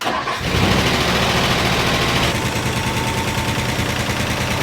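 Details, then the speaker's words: 1960 Ford Starliner V8 on first start after a new Holley 600 CFM carburetor install, hot day: it catches, then runs lumpy with popping because the ignition timing is way too early; the distributor is being adjusted. "so then we noticed that the engine was backfiring inside itself which is you know a good sign that the timing is off"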